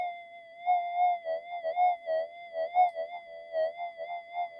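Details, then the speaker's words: Custom-modified Minelab GPX-5000 without variable gain: a steady threshold tone with soft warbles. It shows low background chatter, a little noise but less than the other detector. "We'll just have a listen to the the background chatter."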